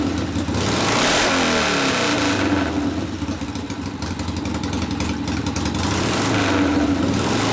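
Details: 1972 Harley Sportster XLCH Ironhead after case repair and engine rebuild (came in with kick starter unable to turn the locked motor): loud, lumpy V-twin rising and falling with throttle blips, firing steadily without misses; normal running.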